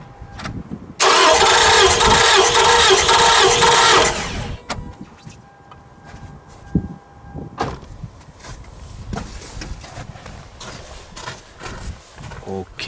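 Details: No-start car undergoing a compression test, with the gauge on cylinder 4: about three seconds of quick, even cranking with plugs out, no drag. Cylinder 4 read 13.5 and all cylinders tested good, so compression is normal.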